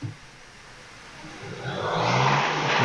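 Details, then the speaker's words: 2014 Hyundai Sonata, fully warm, revved: harsh uneven metallic rattle over rising roar; occasionally seizes afterward, drawing about 800 amps at starter without cranking; cause under investigation. "so this has a really weird issue where occasionally once the engine is good and warm like it is now you rev it and uh it seizes"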